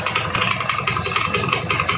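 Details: Carburetted Honda Beat scooter at idle, CVT cover on: fast uneven clattering rattle and slipping from the belt drive; cause found on disassembly as a worn CVT belt and scored pulley shaft.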